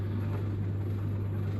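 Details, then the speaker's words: Samsung Optimal Dry 8kg heat pump tumble dryer DV80M50133W, bought broken, in fan cool-down phase: smooth steady low hum, no knocks, scraping or surges; possibly pumping too, owner unsure. "It's gone on to the fan phase now. Hopefully in a minute it'll start to play a little Samsung tune."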